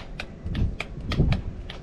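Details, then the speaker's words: Sailboat main outhaul furler motor, a previous temporary fix: sharp dry relay clicks about four a second with no motor hum. The motor never turns; owner suspects the motor itself, and water poured out when it was removed. "you can hear the relay clicking but the motor doesn't activate. So I suspect it's something with that motor."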